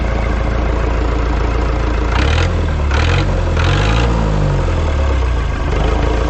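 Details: Ford 2701E 240 cu in four-cylinder diesel on a grapple log loader, sitting since 2005/2006 with 15-year-old fuel, first start: deep steady chug at idle, a low beat drifting in and out, settling evenly; normal diesel idle.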